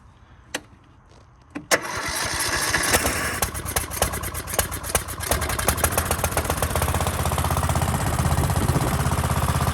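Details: Kohler Courage SV-series single-cylinder lawn tractor engine with new cheap aftermarket carburetor, empty fuel bowl, cold start on choke; a few sharp cranking turns, then catches and settles into quick steady idle. Normal cold start.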